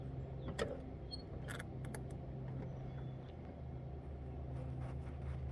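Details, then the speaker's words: AMC Hornet parked for years, first start attempt after work at the air cleaner: quiet even starter churn with steady drone, never fires; crank no-start, owner suspects no spark and no fuel reaching the carburetor. "right so we got absolutely nothing I wonder why that is do I have no spark Mimi and I still got no fuel getting up there"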